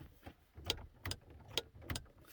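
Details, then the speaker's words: 1999-2002 Chevy Silverado/GMC Sierra (2001 Sierra) with Denali BCM and map lights modified to light with the dome light: four sharp clicks in the quiet cab as the lights switch off. A relay under the dash buzzes; not yet fixed. "So that last buzz you heard was actually down here underneath it's probably in that side panel, but I have a relay up here that turns these on and off. You can hear it."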